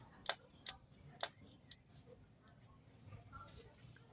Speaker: mas o barulho que eu tava escutando onde é que era achei que era rolamento não era rolamento não era só o o esticador